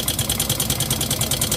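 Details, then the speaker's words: Yamaha Mio M3 125 scooter, hard to start, electric starter no longer works so kick-started: rough idle with fast, even metallic ticking (about ten per second) over a low rumble; not from the CVT, automatic cam chain tensioner to be checked first. "suaranya itu kasar jadi kita akan coba engkol aja Nah untuk suara mesin yang seperti ini itu bukan berasal dari bagian Sipi atau bagian sambelnya guys"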